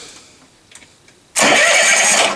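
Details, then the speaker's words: Kohler generator, cranked from the second switch after fitting a new battery and finding a corroded green positive wire to the charger: brisk, even, fast crank with no dragging. "which it does, and then we'll crank it over with this switch down here to make sure that that one's fine."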